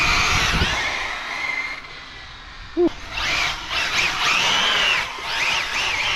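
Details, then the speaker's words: Arrma Infraction 6S BLX RC truck, nearly stock with aftermarket inner fenders, during hard bashing on a battery cycle: a short chirped beep as the shrill motor whine cuts out, the speed controller's first overheat (temperature) warning. "Oh, and that was our first temperature warning. Was it temperature or battery? I think this thing would be beeping at me. Yeah, that was our first temperature warning, so let's give it a quick minute, and then we'll finish off this battery cycle."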